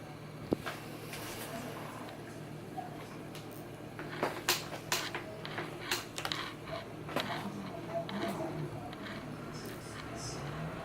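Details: Fanatec CSL Elite PS4 wheel in Assetto Corsa, FFB gain 70%, kerb effect 30%, firmware 335, driver 293 beta, FEI 070: irregular sharp clicks and rattles over game engine drone under force feedback.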